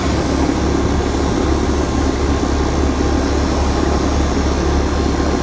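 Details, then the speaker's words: 2003 Ruud condenser running after repair of a refrigerant leak where a copper loop rubbed a hole; smooth, quiet, even hum with steady fan rush and no rattles, normal running. "she's running real smooth that's why I didn't mind repairing this thing I mean you can hear it it's actually pretty quiet"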